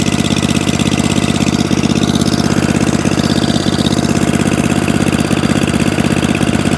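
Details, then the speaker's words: Atco Balmoral 20-inch mower, Tecumseh engine, after carburetor clean and mixture-screw tuning at full revs (still not idling down as low as wanted); single-cylinder running steady and even, no misfire, hunting or fuel leaks; repaired and healthy. "oh so it starts runs drives cuts and stops and even now no fuel leaks one echo barrel moral saved spares or repair back up and running in the mixed mower shack"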